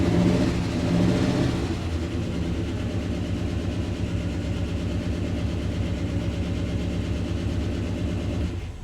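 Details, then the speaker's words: 1956 Cadillac V8, brief start after not running for a year, carburetor fed straight to the fuel line: rough, uneven idle with busy clattering over the rumble; lots of lifter clatter. "We'll just start it up for a split second so I can hear it run. Haven't even ran this car in a year. >> A lot of lifter platter, I can hear that."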